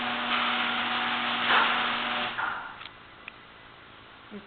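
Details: Genie screw-drive garage door opener after greasing the hinges, screw drive and spring and moving the pull bar back: smooth low motor hum, steady drive, no squeal or grinding, clean stop. It used to be noisy and now runs quietly.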